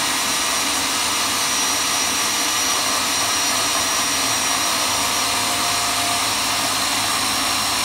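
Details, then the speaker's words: Graco Magnum X5 airless paint sprayer after priming-problem maintenance, hose reconnected and clamped: loud steady hissing run with no surging, stalling or sputter; pump primes and works normally again. "as you can see the machine is working again and this is the way you fix priming problems"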